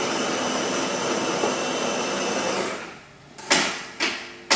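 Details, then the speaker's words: Philips Saeco Royal Cappuccino automatic bean-to-cup machine grinding beans for a short espresso (macchiato): steady grinder whir about three seconds, then three sharp clicks a second apart as fresh grounds are flicked into the brew unit; normal operation. "Let's push the short one. Now the machine is grinding the coffee."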